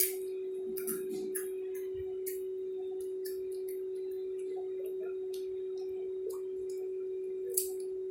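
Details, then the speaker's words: Q9 wireless Bluetooth microphone, new out of the box: steady tone around 400 Hz under light handling clicks, hum heard from the mic's speaker, louder as volume is raised and gone when turned down; constant hum, cause unconfirmed. "Masih kedengeran ya dengungnya ya."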